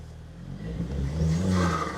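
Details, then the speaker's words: VW Caddy Maxi with a TFSI turbo petrol engine, chilly day: engine revs up smoothly with a rising intake whoosh over the exhaust rumble; healthy turbo sound. "She's TFSI. It makes all the whooy whooy noise."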